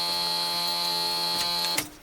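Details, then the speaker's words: 1975 Corvette C3 convertible, neglected 34 years, with Marvel Mystery Oil in the engine, starter on a jumper wire from the alternator, and fresh gas. Ignition turned on: a harsh, steady key-in-ignition warning buzzer for about two seconds. "we're going to turn our ignition to on inside the car hear that key buzzer it's awful"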